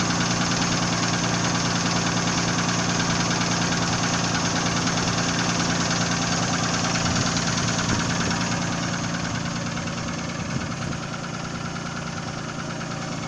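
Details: Nissan VG30E engine knocking at idle, a regular light knock about three per second over the engine; owner is asking what is knocking, cause unknown.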